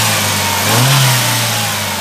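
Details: Chevrolet Prisma 1.4 flex 2008/2009 with misfires under fast acceleration, after spark plug replacement. Engine revs up cleanly with a smooth, even rise and no stumbling or popping; normal acceleration.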